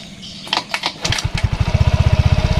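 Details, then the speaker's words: Yamaha Mio Soul 125 scooter after replacing the loose rear wheel-axle bearings: cranks briefly, catches and settles into a steady, even putter with no grinding. Healthy start; engine now smooth. "Jadi sekarang mesinnya sudah halus"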